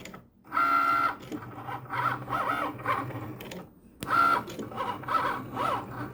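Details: Cricut Maker motor whirs sweep up and down between loud sharp clicks as the carriage travels while cutting; not cutting or writing properly, calibration fails as the sensor can't detect lines, carrier way off center, stopped cutting at 63%.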